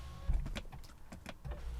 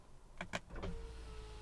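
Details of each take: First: BMW E90 rear window after regulator work, the window seemingly freeing itself; smooth even motor whir with soft clunks at the stops, the passenger-side rear window moving up and down cleanly, motor tone slightly strained going up. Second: BMW E90 rear window regulator replaced: short whir and clunk, then thin steady motor tone slightly labored going up; passenger side seems smoother than driver side, regulator alignment may need adjusting.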